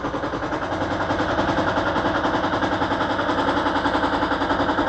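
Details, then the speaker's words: Toyota Prius engine cranked and running: lumpy, uneven chuff about three to four beats a second; injectors 1 and 2 have voltage but no activation signal, so two cylinders misfire. "tiene voltaje, pero no hay activación. Miren, completamente no hay activación. todo el tiempo no hay activación para este cilindro. El uno y el dos no están trabajando ahorita."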